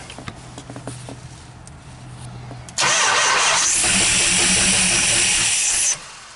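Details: 440 big block Mopar, first start attempt in 23 years: faint low hum, then three seconds of loud, harsh, steady cranking that stops without the engine catching; extended cranking.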